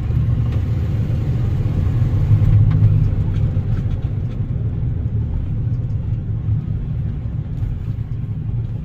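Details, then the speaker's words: 1997 Ford F-250 heavy duty 4x4 7.5L: deep, steady low rumble from the front end while driving, no knock or whine; front differential pinion bearing or hub bearing assembly suspected, not confirmed. "yeah it sounds like a front i don't know if it's front differential or if that's like a hub bearing hub assembly here"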